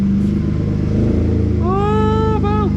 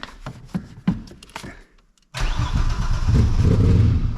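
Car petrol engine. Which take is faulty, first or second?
second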